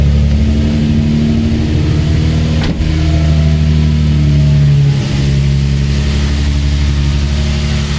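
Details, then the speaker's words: Engine idling after installing a 5/16 Motordyne plenum spacer: smooth, even, steady low hum with no misses, stumbles or hunting; owner sees no sign of a vacuum leak and says it runs well, though a belt squeak is mentioned. "Idle looks pretty steady, so I don't think there will be any vacuum leak, and I think she's running pretty good."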